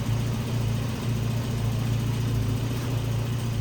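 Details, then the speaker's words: 1993 Volvo 245 turbo wagon, B230F engine, after teardown and repair of an external head gasket leak, coolant topped with distilled water: smooth, even low idle with steady beat, no knocks or misses; healthy, runs better than before. "that's healthy though okay this thing is uh sounding great"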